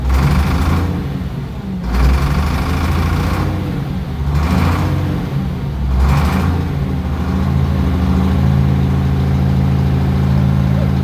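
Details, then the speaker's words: Case 2470 tractor diesel being revived, steady low chug at about 1,200–1,500 rpm with smooth, even rhythm after earlier suspected bad fuel; engine running normally. "Oh, it sounds good."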